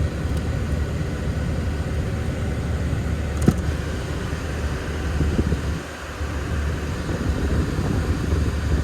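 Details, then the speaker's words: Peugeot 207 at idle: one sharp click as the air conditioning compressor clutch engages, then even running with no change in note; the air blows pretty cold, so the air conditioning works normally. "yeah it's pretty cold actually nice that's good ready for summer"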